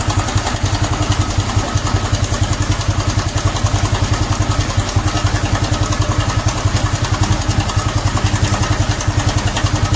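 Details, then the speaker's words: Honda Supra X 125 FI after racing valve springs were fitted, at idle: sharp even clatter far worse than the usual light chain rattle; cam chain tensioner suspected after bleeding it failed; engine to be opened. "Nah, jadi kalau biasanya itu sih cuma suara kemicik dari rantai ya, Teman-teman. Dan itu masih bisa ditoleran saya toleransi ya, bukan ditoleransi seperti itu. Tapi sekarang sudah muncul suara kayak gitu."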